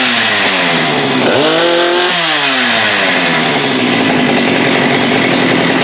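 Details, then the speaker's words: Husqvarna 394 chainsaw with HyWay 58 mm big-bore pop-up cylinder (395 build), cold day, original OEM carb leaned fully: brief drop then flat scream capped near 10,900 rpm no load by carb rev limiter; should reach about 12,500. "So what's happening here is that saw will get to 10.9 or 10,920 RPMs, and that's when the rev limiter of that carb kicks in, which in my most humble opinion is just way too slow."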